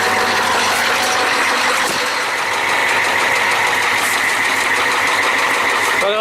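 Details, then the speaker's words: 1994 Ford F350 7.3L IDI diesel with fresh glow plugs and severe blowby: uneven, heavy, deep internal knocking over a rough run; the shop suspects a cracked piston or bad rings in at least one cylinder, unconfirmed. "he can pick up that kind of bang bang bang bang bang bang bang quite"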